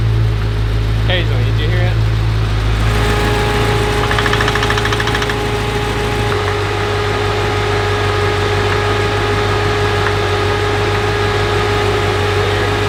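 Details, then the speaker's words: BMW F90 M5 built 1000 hp engine on first start: steady idle with a loud metallic knock that comes and goes at random, not in step with the engine; belt looks fine, only coolant sensor codes; source undiagnosed. "weird noise there pretty loud I can't hear it over it yeah it's not there the whole time because it comes and goes like very random it's random sounds weird"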